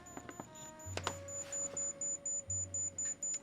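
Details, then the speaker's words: Centipede arcade board under repair: a logic probe on the CPU clock output (pin 13) feeding pin 11 gives a steady train of short beeps, about two per second. The clock line is active. "So there's the clock the CPU makes and that goes into 11 right here. And that's there. There's the clock. You hear it beeping."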